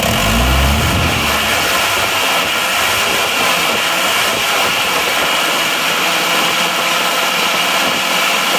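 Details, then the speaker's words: Isuzu Panther 2.5 diesel after a road drive, its badly seized liners pressed out with a 30-ton jack and reused: even, steady clatter with no knocks or misses, no smoke; runs fine. "walaupun linernya kemarin macet nyaris nggak bisa dilepas ternyata di balik Mas tetap bisa masih tetap aman nah nggak ada asap"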